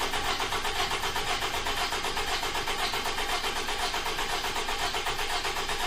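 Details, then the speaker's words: 2009 Toyota RAV4 2.5 with oil consumption, cranking with ignition disabled and pressure transducer in cylinder 3: uneven crank about two pulses a second with one lighter stroke; leaking intake valve suspected, needs an engine. "so we're gonna go in cylinder will confirm that the valves leaking and then there we go we know it definitely needs an engine so on top of the oil consumption we probably have a leaking intake valve"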